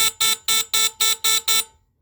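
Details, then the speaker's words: Heat alarm: seven sharp, high-pitched buzzer blasts about four per second, even and strong, then silence; the alarm horn sounds properly. "higher that's interesting cool sounds a bit lower anyways that's pretty cool um really interesting I'm glad they work"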